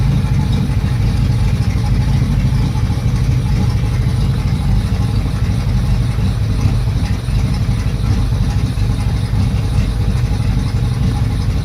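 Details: Yamaha F225 outboard with rough idle that died and revved up on its own: low, uneven, lumpy idle with no steady rhythm; rough idle with surging, cause unknown.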